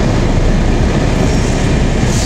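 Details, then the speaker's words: Lada 4x4 Urban with air conditioning, after warranty replacement of the heater blower motor (old one whistled in cold weather): steady, even air rush with no whistle or rubbing, quiet on first speed; normal heater blower operation. "вроде все это положение работает можно но да но в принципе даже вернулись на первом режиме печку не слышно здесь вот классно то что не слышно печку"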